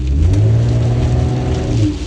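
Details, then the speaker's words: 2013 Chevy Cruze that had low power, whining noise and wouldn't exceed ~30 mph, with cam solenoid code from very low engine oil; after adding oil: strong smooth rising acceleration with no hesitation, power restored. "thing has all this power back and it goes with this v6"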